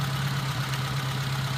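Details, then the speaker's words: Suzuki Zook petrol engine idling with a rough, hissy rumble over the hum; the battery was not holding charge, the fan belt was very loose, and the alternator front spindle flops up and down from a worn bearing. "that's the front spindle on the alternator flopping around up and down"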